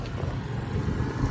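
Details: Honda SCV100 Lead scooter, after a hill climb, idling fast and steady with a low even hum. Idle is set high because of a slight CV carb fault; any lower and it cuts out when hot.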